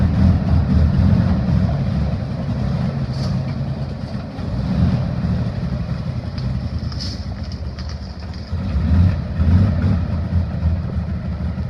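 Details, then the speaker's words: 1960 Grumman Olson running off a fuel can, because the clogged tank gives no flow, on a fuel mix with moonshine: a deep, fairly even rumble with slight speed swings; running acceptably. "don't sound too awful bad hopefully the brakes are going to work"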